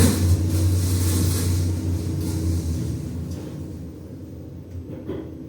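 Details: 2011 Schindler 5300 lift, normally runs well, heard travelling down: heavy low rumble with rough uneven thumping, horrible worrying noises on descent; abnormal noise, source not identified.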